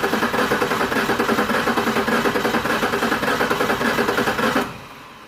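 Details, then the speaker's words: 1996 Ford Ranger 3.0L V6, coil disabled, cranking at full throttle: uneven cranking rhythm with a brief pause, showing a cylinder not making compression (cylinder 4 identified as dead); owner complained of lack of power. "para los que ya tienen experiencia se darán cuenta que el sonido del motor no es constante hay un momento en el que hace una pequeña pausa y bueno eso me dice que en algunos de los cilindros no se están generando compresión"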